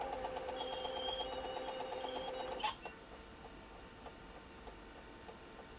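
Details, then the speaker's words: National (Panasonic) NV-G12 VCR after repair with spare parts: quiet, steady high-pitched head whir with faint even ticking and no scraping or squeal; playing normally with a perfect picture. "that's good look at that Perfect Picture Perfect still wonderful a good machine in perfect working order"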